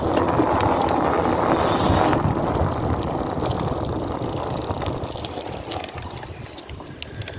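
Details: BeeCool hub motor with the wheel turning: a rough, scraping grind repeats about three times a second and fades as the wheel slows.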